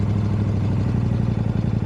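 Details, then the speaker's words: KTM 790 Adventure twin with intermittent hard starting, Red X fuel additive used: very slow, lumpy idle below about 500 RPM, uneven low thump like one cylinder firing; owner suspects spark plug, not confirmed. "Maybe I just figured the first time it ever idle that low, like below well 500 RPM. First time it ever done that. Normally it runs where it runs when I started."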